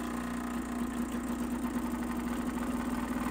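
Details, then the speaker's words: Gaggia Classic Pro with Gaggiuino build (not yet perfectly calibrated): fast even buzzing pump drone with slight wavering as it senses pressure and adjusts, holding about 7.4 bar before ramping down. Normal pump pressure modulation. "but you can hear how as it senses pressure it tries to change to keep at a certain amount"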